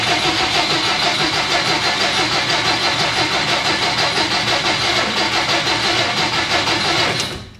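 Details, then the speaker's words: 1957 Plymouth barn find, parked over 20 years: about seven seconds of fast, even cranking, roughly three beats a second, never firing; spark confirmed, owner suspects rotten fuel. Cranks but won't start. "Boys, she's got spark. She's got spark. Now she has rotten fuel, but it's got spark."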